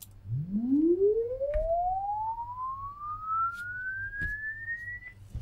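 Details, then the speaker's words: LD Zone 622 2-zone rack mixer under repair, channel four, whose LED stays lit permanently: a sweep tone climbs cleanly from a low hum to a high whistle without dropouts or distortion. The channel's audio output works normally. "So those channels clearly work even though the LEDs are on permanently."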